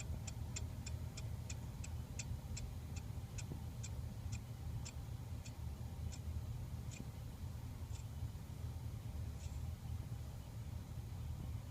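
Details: 52" Hunter Low Profile ceiling fan, motor sticking at one spot after shipping, quiet hum with crisp ticks slowing from about two to one a second as fan spins down; owner suspects bearing damage from shipping.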